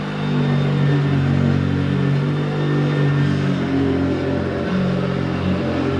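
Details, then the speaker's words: Hoover vacuum cleaner, hoovering: loud, steady droning hum with a rough low growl that never settles, far noisier than it should be. "well it works but doesn't sound great does it I don't know what to do with it to be honest"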